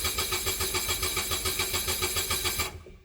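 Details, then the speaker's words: Onan Quiet Diesel 7500 HDKAJ generator in a 2001 Coachmen 380 MBS RV right after oil change: starter cranks steadily about 3.5 turns per second without firing, then stops; fuel system not primed (needs stop button held a minute). "Oh yeah, I forgot. It's got to prime itself. I didn't read the manual. You hold this button down in the stop position for at least 1 minute to prime the fuel system."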